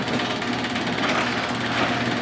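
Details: Garage door opener actuated through a relay by a converted car alarm, working first time; steady even motor drone at constant pitch, no knocks or grinding, opener running smoothly.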